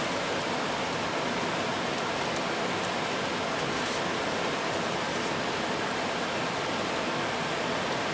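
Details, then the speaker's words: Gas furnace after a new air filter and cleaned flame sensor: fan came on but nothing else, a steady even rush of air with no burner roar or ignition click. Furnace blower running. "The fan came on, but nothing else. Oh yeah."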